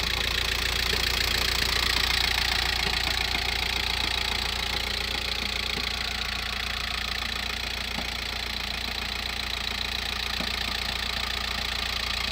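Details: VW T5 van, 1.9 L 102 diesel, cold start after sitting 24+ hours, idling: steady fast rattling knock about two to three per second, lasting about 7 minutes then gone; rattle stops with clutch pressed, returns when released; source unknown.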